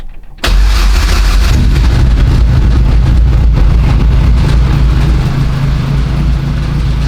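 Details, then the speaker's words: Lotus Elise with Duratec engine after track-day breakdown, idling while coolant circulates before bleeding air: heavy lumpy idle with low buzzing rattle from a sheet-metal panel just unfastened. "Bon, la tôle qui vibre, c'est normal, hein, vu que je viens de la décrocher."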